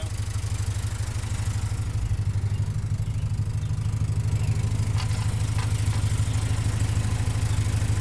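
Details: Cold idle at 900 rpm without the choke on an Opel GT just converted from a Weber 32/36 to a Weber 40 DCOE on a straight-shot manifold. Idle screws about 3 turns out; it had flooded just before. Low, even but slightly lumpy pulse with light clicks; a mechanical choke is fitted but not pulled.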